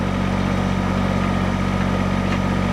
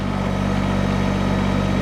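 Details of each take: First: Kubota BX tractor at just under 2000 rpm driving County Line PHD 100 three-point post hole auger into sod: steady diesel drone holding speed under load, no sag; engine bogging signals time to pull auger out. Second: Diesel tractor at just under 2000 RPM driving a County Line PHD 100 three-point post hole auger through sod: heavy, labored drone holding low as the auger digs in; engine bogging under load, auger must be pulled out.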